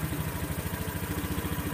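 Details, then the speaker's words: Honda Beat scooter, checked for sluggishness, at start-up: rpm rises briefly on first start, which is normal, then settles to a steady, even idle around 1400 rpm at 0° throttle opening. "di sini mesin mengalami RPM naik di awal pertama hidup itu normal kemudian dia stabil di 1400-an"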